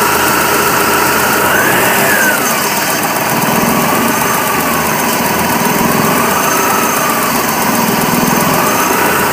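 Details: 1998 BMW E46 318 with 1.9 M43 petrol engine: uneven idle with faint whine wavering as idle hunts; intermittent rough idle that comes and goes, stronger after alternator rework, cause unknown.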